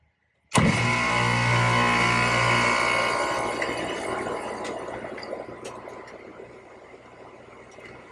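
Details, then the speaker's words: AC condenser unit set to cool, hard start kit disconnected, weak dual run capacitor (rated 45x7.5 MFD, reading 0x7.3) rewired: unit kicks on cleanly into a steady compressor hum with no buzzing or stalling; compressor now starting normally. "As you can see, you hear the compressor, so we are good to go."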